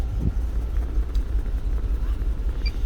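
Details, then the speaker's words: 2008 GMC Yukon 5.3 V8 idling with a deep, lumpy, stumbling beat and total misfire: codes for cylinders 4, 6 and 8, check-engine light flashing, truck will only do 20–30 km/h; injector power checked first. "ser que tiene el me fire todos los códigos que nos avientan nose 4 6 y 8 b y el check-in ya sigue aplazando y más quiere correr tienes entre 30 y 20 kilómetros por hora nada más"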